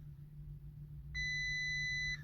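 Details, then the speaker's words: Salvage 2019 Audi Q8 mild hybrid (48V) with no-start, crash damage and 73 fault codes, ignition on: one steady high beep over a low hum, cluster warning chime for electrical system fault and low battery charge. "So, Safety system fault. Okay, this is the problem. We got one electric system low battery charge."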